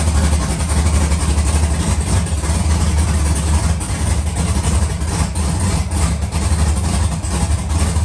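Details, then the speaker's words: Rebuilt LS V8 in a Monte Carlo, first start with some MAP sensors unhooked and loose battery terminals, smoking: deep, steady burble at even idle with no misses, knocks or ticks, sounds healthy. "She sound healthy. The car hitting. She hitting on throttle."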